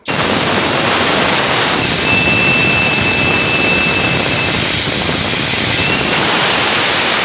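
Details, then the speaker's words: LS cylinder head on bench, compressed air through standard-guide port: loud steady hiss with thin high whistle, air restricted off the seat into the valve guide, before porting comparison. "i'm just going to put the air to it and let you guys hear the restriction off the seat into the guide and then i want to compare it to the one that i opened up"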